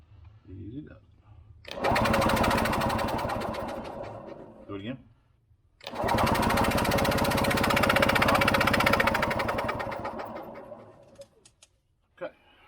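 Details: Early-1980s Yamaha G1 two-stroke golf cart, barn find with questionable fuel system: two long bursts of steady, fast cranking with no firing or catch; cranks but will not start.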